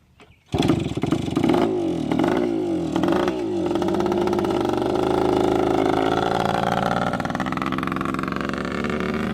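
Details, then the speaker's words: Yamaha YSR two-stroke, fuel added manually: catches right away, settles into crisp steady buzz, picks up cleanly with throttle; runs well, pretty fast and smooth; normal start and run. "does it run good sounds like it yeah it's pretty fast looks pretty smooth take her down the road once"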